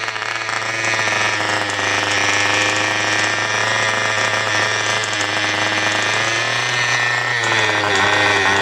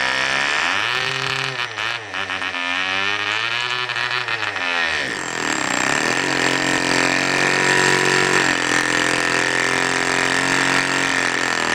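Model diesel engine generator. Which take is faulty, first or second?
second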